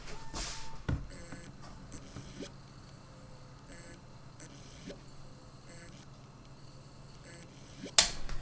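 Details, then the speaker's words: Failing computer hard drive makes irregular sharp clicks and short scraping bursts over a faint hum. A read/write head problem, as if the head were stuck, is suspected. "dirait vraiment qui est un problème de de tête comme si la tête était bloqué"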